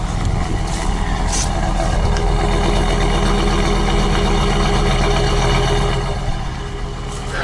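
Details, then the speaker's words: Coachmen 2890QB motorhome engine idling: deep, steady, beefy rumble with no weird noises, ticking or exhaust leak. "You can hear no weird noises or ticks or exhaust leak for that matter. And it's a nice beefy sound."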